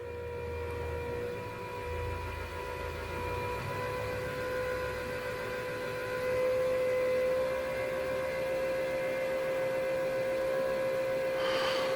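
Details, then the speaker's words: Factory Five Mk3 with 4.6 DOHC before first start: fuel pump running, jumpered at the relay, while the regulator is turned counterclockwise from about 55 toward 43-44 psi; a steady electric whir climbs slightly in pitch as pump load eases. "i'm turning this counterclockwise and you can hear the load lighting up on the fuel pump it'll get a little bit higher pitched as i bring this farther and farther down"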